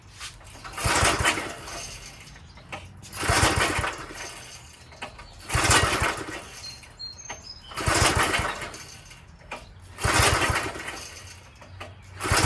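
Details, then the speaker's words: Old Craftsman tiller, small single-cylinder engine on choke, rope pulls about every two seconds turn it over but it never fires; no start because the carb bowl below, fed by a long pickup straw, has no gas. "So there's a long straw that goes all the way to the bottom that sucks up the gas into this little bowl that's underneath there. If that bowl doesn't have any gas in it, it's not going to start."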